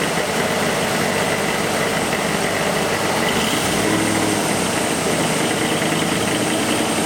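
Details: 1987 Ford Bronco 5.0 with EEC-IV ignition, SPOUT connector unplugged, rpm held slightly raised: runs smooth and even with no stumbles or dropped beats; no misfire.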